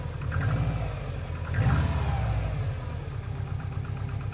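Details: Subaru Impreza WRX GC8, EJ20G turbo blips and settles with a dull repeating low knock under the exhaust note; driven a year, prior owner two years; told forged pistons knock, owner suspects connecting rod; unconfirmed.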